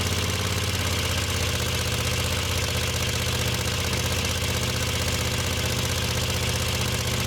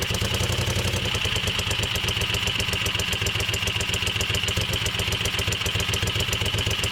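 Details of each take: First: Moto Guzzi Le Mans 3 twin, first start, points gap, static timing and spark checked, cheap pod filters: fires on both cylinders but uneven lumpy beat, held just off idle to stop stalling until carb throttle cables tensioned. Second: Moto Guzzi Le Mans 3 twin, first start after restoration, cheap pod filters: steady even idle slightly high with crisp beat and light valve chatter, both cylinders firing; throttle held slightly open until throttle cables tensioned.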